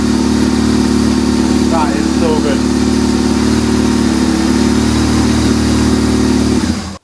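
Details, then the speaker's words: BMW R1150 GS, cold, after replacing the failing starter motor: quick start, then a steady, even idle with a slight throttle blip, no knocks. It runs normally, which confirms the old starter was the fault. "it's a bit cold but here how quick that fired [Music] up that sounds so much better so at least we know it was the starter motor"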